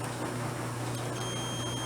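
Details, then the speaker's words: Volt-ohm meter continuity beeper, with the probes touched across a piece of metal: a thin, steady, very high-pitched tone over room hum. The beeper works normally; the meter's battery had been faulty. "there it is that's such a high pitched squeal i can barely hear that"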